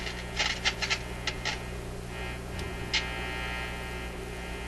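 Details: Zenith Y825 vacuum-tube AM/FM radio, idle on a shelf since working months ago, on about 122 V supply: steady low buzz with a few clicks and no station audio, only mains hum; cause not yet found.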